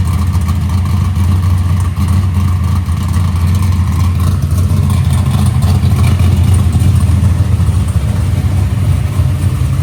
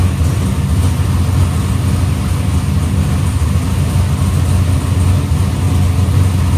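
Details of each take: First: Box Chevy carburetor intermediate-circuit tuning, warmed up, after a mixture adjustment: steady deep V8 rumble with a lumpy beat; still rich with some unburnt fuel under part throttle, though improved slightly. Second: Box Chevy carburetor after a small idle mixture adjustment: deep, steady V8 idle with an unbroken beat and no hunting; idle AFR is back where the owner wants it.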